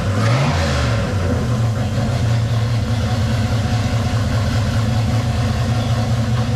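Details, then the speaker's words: 1978 right-hand-drive Postal Jeep on 2001 TJ chassis, freshly swapped V8 with new ACES EFI, just fired up: lumpy idle with rhythmic low pulses and a quick rev, steady and strong; runs healthy. "Oh yeah. That's crazy. I mean, like, it fired up just like that. Like it's been running its whole life."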